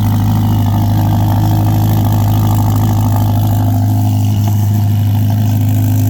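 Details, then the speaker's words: 2025 Ferrari Roma Spider, 3.9 turbo V8 F154, 620 hp, after cold start: deep, steady low rumble with even pulse, no misses or knocks; idling cleanly. "Ach, odpalaj na zimno jest cudowne, a potem słychać, że jest potencjał, ale prawdziwy dźwięk dopiero słychać pod obciążeniem, czyli przy mocnym przyspieszaniu."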